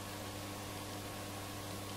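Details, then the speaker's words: Roberts R747 radio, on the bench for tuning drift: a loud, constant low mains hum with no rise or fall, heard even in the off position, along with a scratchy volume control. A power supply fault is suspected, not confirmed. "So there's quite a bit of hum from this. Getting quite a lot of mains hum. In the off position, so it would suggest to me that possibly we've got a power supply issue."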